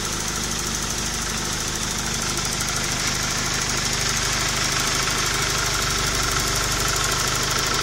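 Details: Engine idling with a steady, fairly even knocking tick at roughly three per second; cause suspected, not confirmed; engine knocking noise.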